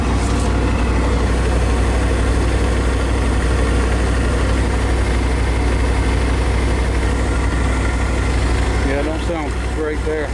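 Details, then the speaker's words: 1993 Chevrolet 3500 wrecker, 5.7 350 TBI, idling at first start in years: deep steady idle for ten seconds with no stumbles, ticks or knocks, no smoke, good oil pressure assumed; running smoothly. "all right I think that's it running good no smoke no knocking good oil pressure we assume anyway no tapping or knocking"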